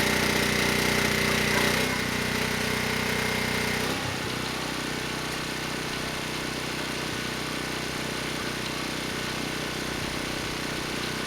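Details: ETQ 2700-watt generator with brushless powerhead, found not running after years in storage: steady drone holding speed with no hunting, surging or misses at 100 watts over rated load, near 61 Hz and 118 volts; healthy under full load.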